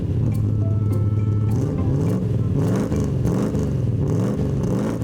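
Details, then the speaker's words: Car with 3.5L V8, original twin SU carburetors replaced by a large Holley carburetor: deep V8 burble rising and falling cleanly through throttle blips, no misses or rattles; healthy engine revving freely. "Now we've got a big V8 engine, 3.5 L. Should have twin SU carburetors on it, but it's uh been changed to a big Holly carburetor."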